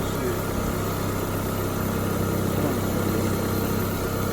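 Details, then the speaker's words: Auction car with engine running: uneven, lumpy idle with a loose, irregular pulse and the engine visibly shaking. Smoke smell from the tailpipe; rough idle, cause not determined. "you know you don't like to really just shaking smell like the smoke smells that smoke"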